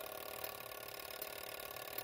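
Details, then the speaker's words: Vintage Couch coded fire alarm pull station, spring-driven gear train turning the code wheel sending code 2652; steady fast whir with fine, rapid, even ticking and no catches or skips; running normally. "right here you can see the gears all moving in there"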